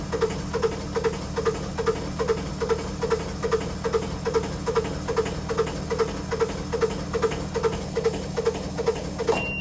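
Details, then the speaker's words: Tractor finally started after three hours and some ether, being readied to rake a rained-on hay field; steady, deep diesel rumble with an even beat, no stumbles or misfires; normal diesel idle, left running for a bit. "yes i didn't blow it up and i didn't start it on fire so those were the two options that would have been really bad but you never know so we got it going i'm gonna just let it run for a bit"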